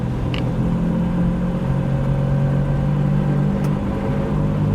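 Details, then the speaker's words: Steady low droning hum under road noise driving a 1984 Chevy Citation at about 50–55 mph; a worn right front hub bearing, which quiets when turning left. "it's the right front yeah watch if I turn left it'll go away it's the right front"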